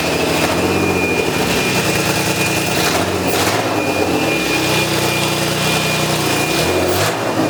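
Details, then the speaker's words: Old BMW E36, essentially straight-pipe exhaust, before repair, revving: loud raspy roar with a sharp puffing rasp swelling each rev from a hole in the exhaust; owner thinks he knows where it is. "you're gonna hear the hole in the exhaust I think I know where it is we're gonna patch that up and hope this only hole there is in this old exhaust"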